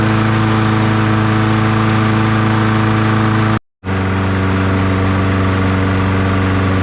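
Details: 2002 Murray 20-inch bagger/mulcher with 4 HP Briggs & Stratton, restarted and left running before oil change and blade sharpening: steady, even single-cylinder drone at constant pitch, no misses or knocks; engine running healthy.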